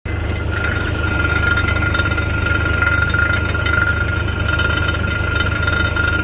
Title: A Rattling Noise Inside the Exhaust